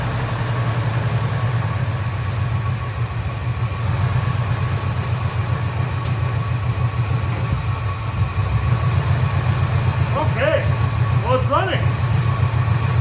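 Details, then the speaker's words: 1971 Chevy C10 carbureted 350 small block, now with accelerator-pump shot after no-start troubleshooting. Steady, even low idle rumble with no miss or stumble, running better than it ever has. "actually running really well way better than it ever has"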